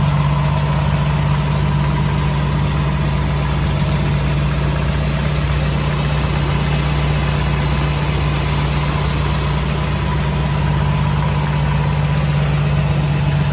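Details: 1984 Jeep CJ7, frame-off restored, equipped with always-active rear lockers: starts easily and settles into a steady, even low rumble with no misses, knocks or ticks; smooth, healthy normal idle.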